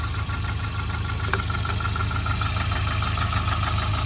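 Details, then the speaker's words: Volvo 940 Turbo with performance coil, idling with oil reaching the top: light even tapping over the engine, more knock than normal, source unknown; engine knock at idle. "all right cool well that makes it easy it's got a little bit of a knock to it more than I'm used"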